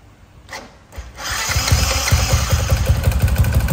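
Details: Motorcycle with a 62 mm bore kit making a loud noise from the cylinder-head area: it starts, then a loud metallic rattle pulses two to three times a second over the idle. Cracked vibrating bracket rattle, quiet after the fix.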